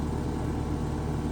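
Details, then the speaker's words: Home AC condenser, thermostat powered: steady low electrical hum with no spin-up as the compressor tries to start and stalls; diagnosed as a failed run capacitor. Compressor fails to start. "Did you hear that? So it was trying to start, but didn't. So that gives me a clue."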